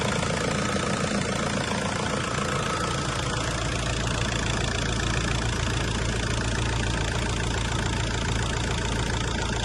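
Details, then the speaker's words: 2001–2005 1.9 TDI PD diesel just refilled with coolant after temperature sensor replacement, heater on hot to bleed: loud, even tractor-like clatter at idle with steady ticking, no misses or extra knocks; healthy idle. "so I'm going to walk up to the car, which As you know, a PD engine sounds like a tractor, and I feel like this is so strange."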